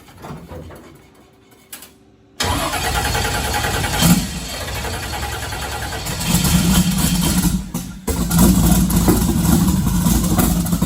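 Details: Twin-turbo 1969 Camaro pro mod, not started in a couple of months since the driveshaft incident: catches then idles with surging, stumbling beat; owner suspects fuel starvation, Holley VR2 dual brushless pump in question.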